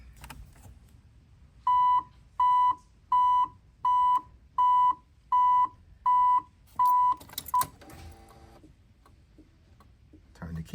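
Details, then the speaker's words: 1987 Chevrolet Monte Carlo with the key in the ignition and door open: eight evenly spaced high beeps about 0.7 s apart sound when the hazard flashers are on, then cut off. Warning buzzer cause unconfirmed. "Master Brakes the lights come on and you hear a buzzer warning buzzer mash the brakes the buzzer come on without the braks it stops now funny thing about that when I turn my flashes on listen"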